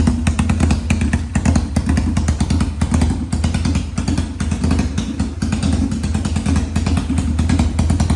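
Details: 1991 Kawasaki Ninja 500 twin in a mini bike frame, first start after new gaskets, clutches and carb rejetting with bigger jets, fed from a drip fuel supply: rapid even thumping from a very loud open exhaust, no knocks or misses. Runs normally.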